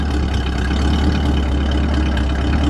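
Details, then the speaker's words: 1966 Ford Fairlane 500XL Convertible, factory 289 CI V8, 708 original miles, original muffler: steady deep idle with a low, rough rumble from the tailpipe; slight growl because the old muffler is starting to go. "You can hear it starting or hear it running. There's a little bit of growl because the muffler starts to go. muffler's that old."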